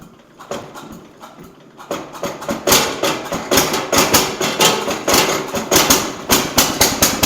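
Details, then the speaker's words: Jacobsen Chief 800 garden tractor under restoration, started on choke with idle turned up: rough, lumpy idle surging and stumbling about two beats a second; owner concludes the carb needs adjusting. "But it runs. Okay, so we learned a few things here. The carb needs adjusted."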